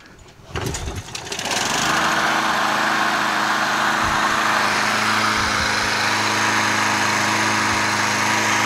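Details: Craftsman 20-inch mulcher push mower after carburetor cleaning, previously hydrolocked with oil in muffler: catches after brief crank, steady even buzzing run, no misses or surging; early smoke later stopped; normal running.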